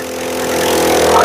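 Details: 4-stroke petrol lawn mower engine that wouldn't start, after clearing the fuel line and cleaning out the dirty carburetor bowl; catches and holds a steady buzzing run that swells slightly as it settles: normal running.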